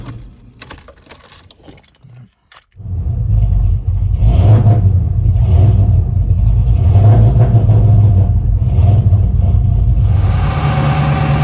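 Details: Clicking and rattling at first as a 2001 Mustang Bullitt V8 finally starts in winter on a big battery charger after a dead battery, then settles into a steady, even, deep low-rumbling idle; not revved; normal idle.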